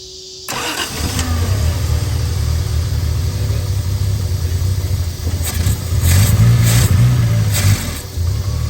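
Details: Triumph TR6 being run off an electric fuel pump, choke possibly not working. It catches after a brief crank, then runs lumpy, surging and stumbling with irregular pops. Mixture suspected too rich or lean, unconfirmed. Hard starting, rough running.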